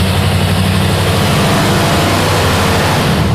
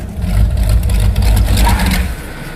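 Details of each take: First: Rear-engine mini truck V8 on a dyno under load: deep, even roar holding steady, then easing off smoothly with no miss or stumble; smooth curve now, 401 lb-ft and 250 hp at 3,500 rpm. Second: Rear-engine mini truck V8 with Demon carburetor: uneven loping rumble sags and dies after two seconds on braking; rear float level too high, fuel pulled out of the boosters with throttle shut floods and stalls it.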